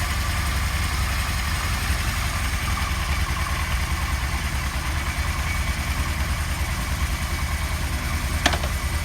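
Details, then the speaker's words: 1977 Kawasaki KZ1000A four-cylinder, engine just slightly warm, no choke, fuel on reserve, on center stand: very quiet, steady, even idle with no knocks, misses or smoke; healthy. "Well, it's a quiet motorcycle. Really quiet. Not smoking."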